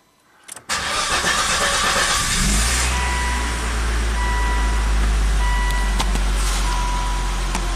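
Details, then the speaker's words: 2004 Volvo XC90 after a long-crank/stall no-start, once the unplugged crankshaft position sensor was reconnected: catches after about three revolutions and settles into a steady, deep, even idle; healthy start, only a mass airflow code remains. "so it did take a couple of revolutions one two three and then it fired up yeah that fired up pretty quickly didn't it"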